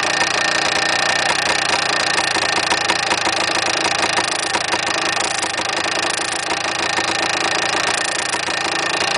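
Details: Yamaha DT400 two-stroke idling with a tinny metallic rattle over a steady buzz; something loose inside the engine, cause not yet found, engine to be opened later.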